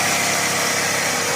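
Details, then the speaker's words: Toyota Previa previously with no idle and hard starting, restarted after throttle body repair: steady, even buzz with no dips or surging, holding idle on its own and no longer dying; normal idle. "So ngayon try mo start after magawa ito na [Musika] hindi na siya namamatay nag-oral na"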